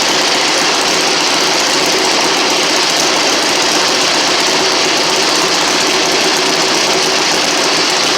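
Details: 1960 Harley Sportster Ironhead, sat since 2010, after magneto/points check, carb cleaned, fresh fuel, timing and points set, first start in ten years: steady even idle, constant hammering roar, no misses or knocks; normal idle.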